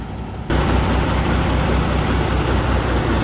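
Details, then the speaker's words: Kenworth W900 with Detroit diesel idling: heavy, uneven lumpy beat, running rough on dead cylinders; owners think it needs injectors. "uhoh we got us a W900 sounds really unhappy don't it"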